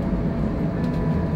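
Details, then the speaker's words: Solaris Urbino 12 Electric bus driving on an Oslo city route: faint steady whine over a low rolling rumble; noise from the ZF drive axle. "Du hører det støyer litt fra ZF-akselen."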